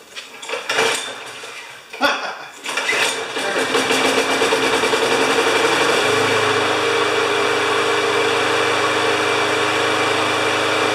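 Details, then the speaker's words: Five-horsepower Briggs & Stratton mower engine, hard to start despite priming, after fitting part 795629 with air filter refitted; a few cord pulls, then it catches and settles into an even, steady run with no misses. "just seeing that squirt of gas there I know that it's going to uh start with one pole"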